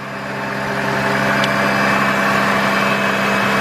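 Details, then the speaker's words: 2002 GMC Envoy after ignition coil replacement for P0303 cylinder 3 misfire: even, steady idle with no stumble or skip, no misfire, engine running cleanly. "don't miss fire whatsoever that's what I'm talking about"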